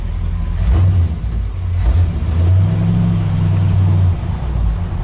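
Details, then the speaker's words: Ford pickup (about a 1967–68, the owner's driver), driving: deep, even V8 rumble swelling smoothly as it pulls away, no knocks or misfire; sounds sweet and goes down the road real nice, healthy under load. "yeah it sounds sweet too for speed goes up down the road real nice"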